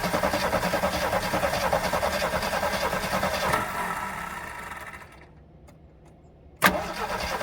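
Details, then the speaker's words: AMC Hornet, parked for years, trying to start: starter cranks steadily at about three turns a second for several seconds and never catches; no spark suspected, and no fuel is reaching the engine. "all right so we got absolutely nothing I wonder why that is do I have no spark Mimi and I still got no fuel getting up there so"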